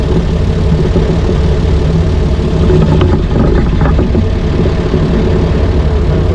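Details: 60-year-old International Harvester 6x6 army tipper, Perkins 6354 diesel, sat about 10 years, running while testing a very heavy clutch to get it moving: deep, steady chug holding an even idle, no knocks or misses; normal.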